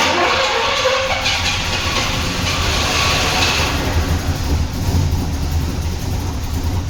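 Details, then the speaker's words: Turbo Trans Am first start after years, on 15–20-year-old fuel, after correcting a wrongly installed distributor: rough, uneven low rumble with a lumpy beat and no clear knock, lots of smoke; engine keeps running. "So you saw the car started. Surprisingly, everything was full of smoke. It was crazy, but yeah, the car runs."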